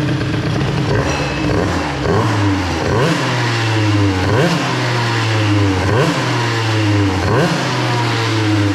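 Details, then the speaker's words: Airsal XT77 moped two-stroke, first test after fitting larger reed-valve intake box: buzzy blips rising and falling about every 1.5 s with louder intake roar; owner suspects carburetion changed, running richer, needing idle raised. "si quand même le bruit d'admission est plus gros le bruit d'admission est plus gros la carburation a peut-être changé un petit peu"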